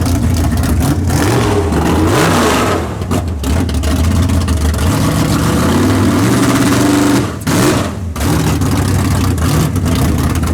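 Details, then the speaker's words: Big-block V8 drag car after a tunnel ram intake swap, timing locked at 32 degrees, transbrake test; barks, revs hard in sharp bursts and settles to a lumpy idle, running clean and sounding much better. "oh yeah yeah right all over it down man it sounds good though sounds way better"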